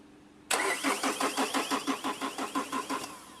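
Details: Chevrolet Cruze with starting problem: starter spins steadily about three beats a second without catching, then cuts out; fuel pressure builds, cause found as a bad engine earth/ground.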